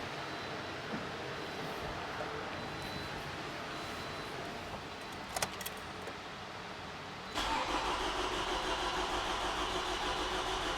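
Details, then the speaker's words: 2011 Toyota RAV4, 2AR-FE 2.5L four-cylinder, just over 150,000 miles, freshly rebuilt after severe oil consumption. Cranked with the crank sensor unplugged to prime oil pressure: a steady, unbroken starter churn at about three turns a second, no firing. "So I have the crank sensor disconnected. This will prevent the car from starting. Without further ado, let me go crank it until we build up oil pressure, and we'll see what happens."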